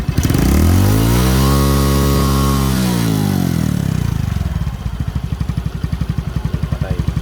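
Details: Suzuki Smash motorcycle with hard starting, after spark plug and suction hose replacement: crisp rev climbs and falls back, then settles into an even steady putt-putt idle near 230 beats a minute; running clean.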